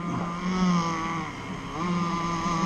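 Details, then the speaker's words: Zenoah 30cc two-stroke RC boat engine after tightening low and high carb needles: drone sags and drops in pitch around three-quarter throttle before picking up; bogging, fuel line running very hot. "It's bogging down a lot. That's all. That's like 3/4 throttle."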